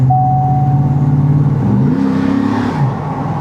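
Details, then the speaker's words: GMT800 truck, pulling away: a deep, smooth V8 burble rising cleanly with no rasp, leak ticks or drone. The exhaust sounds right. "The Yeah, exhaust is just It sounds right on this, man. I'm pretty sure if I remember right, this one has a a Magnaflow uh muffler on it."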